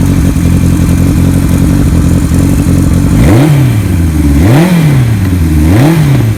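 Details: 1975 Kawasaki Z1 900 four-cylinder with Yoshimura pipes and big bore kit, cams swapped back to original. Even idle, then three clean throttle blips rising and falling smoothly with no knock or rattle: healthy running engine.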